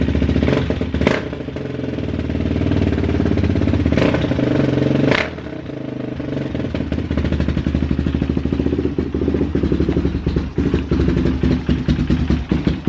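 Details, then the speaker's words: Kawasaki KXF400 quad after carb fix, slide plate had been installed backwards/upside down: even single-cylinder idle, picks up cleanly on two sharp blips and settles back; carb running right. "Alright guys, quad runs great, idles, revs up just fine, all because that one little plate on the slide was backwards, or upside down."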